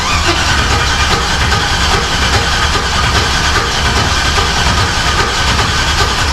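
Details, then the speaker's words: Turbo LS Camaro first-fire attempt: starter churns the engine at an even pace but it never fires, no fuel pressure because the ignition was left switched off. "You don't have any fuel pressure. You know, it helps if I turn the ignition on."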